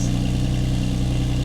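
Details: Rebuilt crashed F80 BMW M3, twin-turbo, manual, first start after the build and a brake switch swap: deep steady idle with an even low burble, no ticks or misses until cut off; engine healthy.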